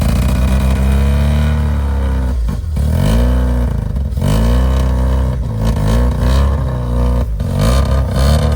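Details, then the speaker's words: 1985 Mazda RX7 rotary first running after sitting 30 years, smoking heavily: rough surging revs that sag and nearly die, running only while fuel is sprayed in; apex seals likely need lubricating. "that's probably about as good as it's going to get with us spraying it"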